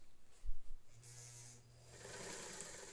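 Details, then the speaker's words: Singer 99K vintage sewing machine after installing a new motor belt, stitching long stitch under load: low even motor hum then soft steady whirr, no slapping or squeal; runs smooth and quiet. "Oh, that's that's much better. That's so nice and quiet."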